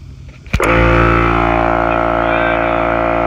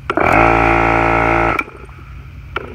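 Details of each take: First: Kobalt 8-gallon 150 psi 1.8 hp air compressor on the same 50 ft 10-gauge extension cord: sharp click, motor catches at once and holds a steady strong hum; starts normally. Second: Husky 8-gallon 150 psi 1.8 hp air compressor at about 75 psi on a 50 ft 10-gauge extension cord: loud hum that stops without the motor spinning up; stalls on restart about half the time, owner suspects insufficient power reaching it; second unit doing this.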